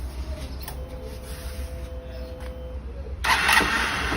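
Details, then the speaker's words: 160 cc single-cylinder motorcycle after replacing the connecting rod, cylinder kit and valve, previously hard starting with a terrible knock: it catches cleanly and revs up smooth and even with no knocking; healthy start. "tá aí ó Show de bola e tava ruim de pegar né E era um barulho terrível né terrível meu Deus do céu tá aí ó aí show de bola mesmo"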